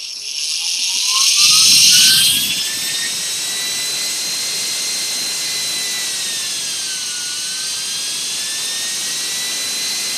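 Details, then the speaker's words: Small DC motor on prototype PWM HHO/motor controller (rated 100A continuous, current-limited ~105A), 100% duty cycle with current raised: thin high whine rising then holding with slight dip, wires heating from high current. "we'll turn the current up you can see the current them there in action this mode is keeping a fair bit of ground now we're actually burning the wires out but so much current running through it which is pretty cool"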